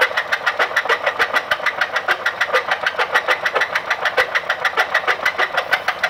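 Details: Ford Escape idling: sharp, steady metallic knock rattling rapidly — rod knock from spun bearing.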